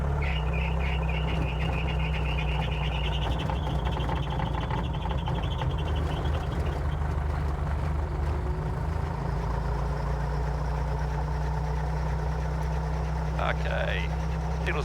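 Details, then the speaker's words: Guimbal Cabri G2 helicopter, Lycoming four-cylinder piston engine (up to 134 kW), cold start (oil 19°, outside 27°): deep steady engine drone with a thin high squeal as the clutch engages and the rotor spins up; normal clutch engagement squeak for this type. "You can hear a horrible squeaking sound. That's all perfectly normal. That's the Cabri G2 for you."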